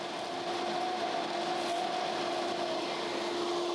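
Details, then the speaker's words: A coffee destoner used on a 15-kilo roaster, its big suction fan drawing beans up a tube while stones stay in the trap. A steady airy whoosh with an even whine near 350 Hz; the fan runs smoothly. "And the way that most destoners work, in fact, all sort of traditional destoners work, is that you load the coffee in the front, and you've got a great big fan sucking up air, and it sucks the coffee up this tube."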